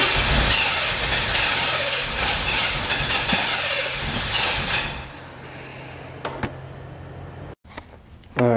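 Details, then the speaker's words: Car won't stay running after a jump start: engine cranks fully and briefly catches, then sags to a low hum and dies without holding idle; something keeps it from staying on, cause unknown. "like it's turning all the way over it's cranking but then it's just it just feeling like it's something that's stopping it from staying on or like staying like crunk or something"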